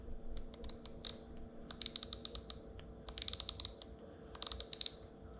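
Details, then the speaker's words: Daiwa Sealine Slosh X40 fishing reel, about 22 years old, after full service; crisp, even clicks in quick bursts as the star drag is turned over a faint hum, normal star drag clicking. "and that's one of the things i really like about that reel knowing that it clicks on that star drag just so you can hear it working"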